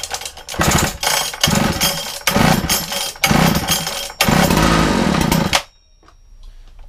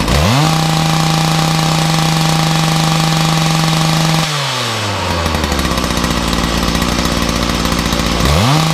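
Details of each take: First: Makita DPC6430 two-stroke disc cutter, started with decompression and choke after carburetor jets were altered earlier: revs rise and sag in uneven bursts before cutting out; running rough, carburetor needs fine tuning. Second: Makita DPC6430 two-stroke disc cutter, cold start on choke with decompression after filters refitted (may want a small tweak): strong even scream, drops to burbling idle, snaps cleanly back to full revs; normal running.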